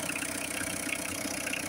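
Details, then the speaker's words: Peugeot 405 restarted after sitting nearly 20 years (about 10 per title): fires instantly, then a short even, steady idle with smooth hum, no knocks, misses or surging; engine runs healthy. "Allez, au quart de tour. Vraiment. Au quart de tour. C'est increvable ce moteur. Increvable."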